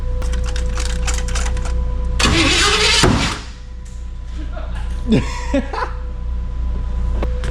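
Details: A 1949 Chevy (owner believes) cranks on its first start after rewiring, with the fuel pump not yet mounted. It gives a brief rough burst that dies and never catches. The distributor cap was refitted as before, and the owner suspects the plug wires are two spots off, putting the timing out.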